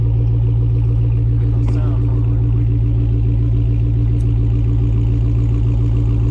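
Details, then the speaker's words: Dodge Hellcat with stock active exhaust, valves fully open, given gas: deep steady V8 rumble with strong low throb, no misses or rattles; healthy open-valve exhaust note. "so these exhaust valves are open and anybody that has a charger pretty much knows what they sound like on a cold St so now these valves are all the way open and I'm going to give you some gas"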